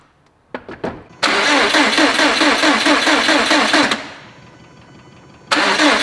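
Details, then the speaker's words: Freshly rebuilt Subaru STI turbo engine cranked with crank position sensor and injectors unplugged and turbo feed line off to prime oil: even starter churn under three seconds, no firing, turning over freely with no odd noises. "reason for that is we want some oil moving around we want oil going into the turbo immediately and i also want to make sure we don't have any weird sounds just by turning it over"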